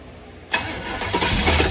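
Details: '32 Ford Highboy Roadster hot rod V8, fuel injection removed and a regular four-barrel carb fitted, coil jumped without electronic ignition: the starter cranks with ragged firing bursts but the engine never catches. It is fuel starved at the carb.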